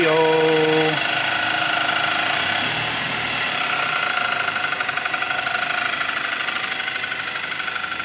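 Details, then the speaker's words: Audi A3 after swap to a junkyard engine for a spun main bearing, at idle: thin metallic buzzing rattle pulsing about three times a second; suspected heat shield plate bent during flywheel removal touching the flywheel. "so the noise is this plate we're hearing that's what's making this rattling noise when we pulled the flywheel off we bent it a little up here"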